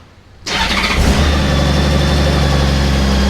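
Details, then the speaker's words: Honda Goldwing 1800 just after an oil and filter change with 4 litres instead of 3.7, on a hot day: starter catches within half a second, settling into a smooth, even idle with a steady low hum, no knocks or ticks; sounds smoother after the oil change; normal engine start. "There we go. I can hear the difference in that just with changing the oil. It sounds so much smoother."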